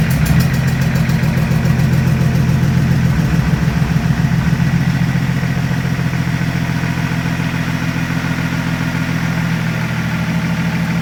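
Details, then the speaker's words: BMW E36 Compact with freshly swapped-in replacement M57 diesel (replacing a 240k-mile M57 with valve float), first start after the swap with the leak-off pipe now connected and no intercooler pipework fitted, so not revved: catches and settles into an even idle with a steady, regular beat, no knocks or misses; normal start and idle. "Alright, as you see, it starts, sounds alright. There's no intercooler pipework or anything on it, so I didn't rev it up or anything."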